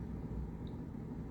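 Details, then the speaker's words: Whirlpool fridge not cooling, compressor at the bottom clicking on with the old part, steady low hum with no start-up; stalled compressor from a bad overload relay or capacitor. "that's really the indicator that one or these two pieces are bad and there it goes so if you're hearing that guys that's going to be your indicator that either your capacitor i'm sorry or your capacitor or your overload relay or bad"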